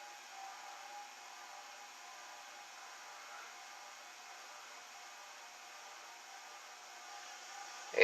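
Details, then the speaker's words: Envirofan Gold Line Industrial 160F ceiling fan (c.1978, new in box, about 30–40 years old) running on a solid-state speed control at 0.23–0.45 A, eighth-turn steps; steady harsh electrical motor buzz, very buzzy; owner wonders if that's why the motor was changed. "No, that's definitely buzzy. So that's a little bit of a disappointment, but eighth of a turn, 0.45. Well, that's very buzzy."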